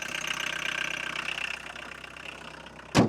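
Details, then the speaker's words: 1982 VW Golf Mk1 1.6 diesel, sat 12 years, started after oil, filter and coolant service: starts first try, loud steady diesel clatter ticking evenly at idle with no misses or knocks, then a single thump; idling normally. "All right, let's start it and see if I've broken anything. I sure hope this works. That's crazy, it started on the first try."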